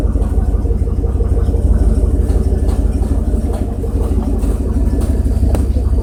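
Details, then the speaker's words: 1994 GMC Sierra 3500 5.7L that won't shift past first after a transmission fluid change; one speed sensor replaced, test drive: engine drones loud and high under load without shifting; stuck in first, cause unconfirmed. "I think you'll be able to clearly hear the fact that it's sticking it first by the way the engine is revving and how loud is getting"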